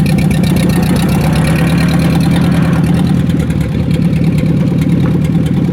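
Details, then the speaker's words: 1944 Ford 2N tractor with a carburetor needing tune-up, backing up at light throttle: even, steady low chug with a regular firing beat and no stumbling or popping. It seems happier there; normal running. "Let's back up a little, give her a little. I think it's a little happier there."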